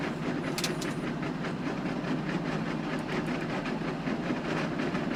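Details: John Deere 6920 tractor with a power harrow in very wet, stony ground, bogging down: loud irregular clacks and bangs over a steady working rumble as stones strike the harrow tines, which earlier stones had broken.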